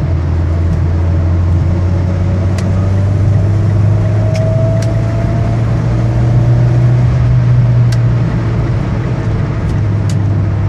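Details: Mitsubishi Evo X accelerating in 4th or 5th gear gives a thin gear whine over cabin road and engine rumble, rising with turbo spool but separate from it; diagnosed as transfer case whine, started after street launches.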